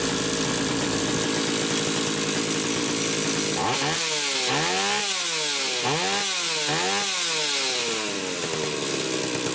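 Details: Stihl 031AV chainsaw after ignition repair with aftermarket ignition module replacing the original trigger under the flywheel: idles with a busy rasp, then revs cleanly in quick even bursts, no stumbling; ignition now firing properly.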